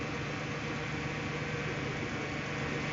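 A petrol car engine idles with a steady, even hum and no misses, surges or hissing spikes.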